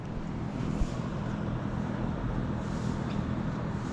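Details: Three Daikin Cora AC outdoor units wall-mounted on brick, all running full blast, heard from outside: even low fan whoosh with a soft steady hum, no rattles, vibration or throbbing; normal running.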